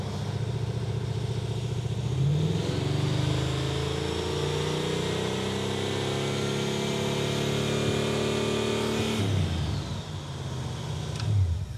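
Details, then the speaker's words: 1970 or 71 Camaro after ignition timing set to 40; revs up cleanly, pitch climbing and holding before dropping back, crisp at part throttle and already running better. "Okay, back to ignition timing. Carburetor still empty. That's 40. It already runs better. Yeah."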